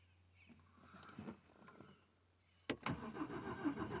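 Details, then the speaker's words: BMW 116i 1 Series, parked 1.5 years after breaking down, in-cabin: starter spins the engine steadily, battery fine, but it never fires; crank no start. Later started by releasing pressure from the fuel rail. "turning, so it's not a flat battery. You can hear the crank."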